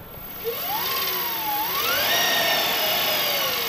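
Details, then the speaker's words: Electric go-kart, freshly wired and programmed controller, motor unloaded in forward with throttle applied: clean high-pitched whine climbs smoothly as it spins up, then holds steady; electric drive running normally. "oh i hear it oh dude that sounds really cool that's really high pitched"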